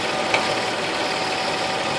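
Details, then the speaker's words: 2004 Nissan Frontier V6, listening through a metal tool on the intake runners for the hard-to-reach rear cylinders while checking plugs and wires: even, steady hum with no stumble or skipped beats; these cylinders fire cleanly. "great sounds great sounds great burning my hand sounds slightly less than perfect sounds great checking again sounds great and great sounds great great"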